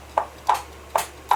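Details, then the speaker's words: Brastemp/Consul washing machine mechanism (gearbox) on bench, pulley rocked by hand: four sharp separate clicks, normal pulley play knocking, not a fault. "esse barulho é normal tá esse barulho aqui é o barulho da polia batendo"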